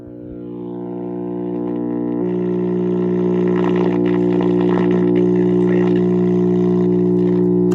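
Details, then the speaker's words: AA5 tube radio, first power-up on a variac brought up to about 70 volts. A loud, steady low hum swells and holds as the volume comes up, with no program audible; excessive hum, expected to be an easy fix. "All right, so it works. It just hums a lot. That should be an easy fix"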